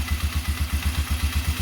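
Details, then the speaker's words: Polaris Sportsman 500 after replacing a faulty new CDI box (no-fire issue): even, steady low thumping at quick idle, no misses or knocks; normal idle. "let me turn this on here how easy this thing how nice this thing runs here it goes look at that"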